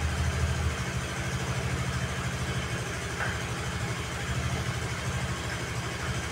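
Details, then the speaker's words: Honda Vario 110 (KVB) after carburetor service and auto-choke fix, center stand lowered: even low putter at about three firings per second, holding steady without dipping or stalling; a normal, stable idle. "Tuh aman kan? Lasamnya dia juga sudah bagus ya."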